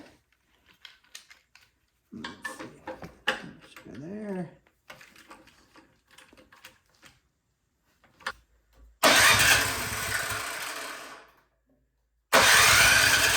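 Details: Craftsman 22" snowblower that would not start, after repair and reassembly: clicks and handling, then engine fires and runs with steady even buzz, restarts cleanly and settles; healthy.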